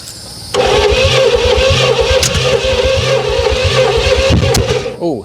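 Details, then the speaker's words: 1968 Oldsmobile Toronado 455 big block, sat in a barn 44½ years, cranking with the exhaust not hooked up: uneven starter churning broken by sharp backfire pops, and it never starts; wrong firing order suspected, not confirmed. "okay let's check our firing order yeah shouldn't be uh poofing like that"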